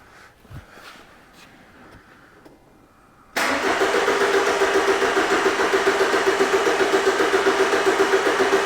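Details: 2011 Ford Transit Connect 1.8 TDCi crank no-start: steady, even starter cranking that never catches while the crank sensor signal is scoped at its pins.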